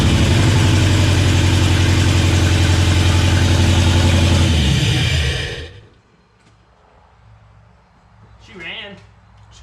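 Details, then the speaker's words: LS-swapped K10 that is not firing on cylinders 2, 3, 5 and 8: heavy, deep, lumpy pulsing idle, then it shuts off; sounds like it's down cylinders, a misfire with the cause unconfirmed. "run I think she's down a cylinder"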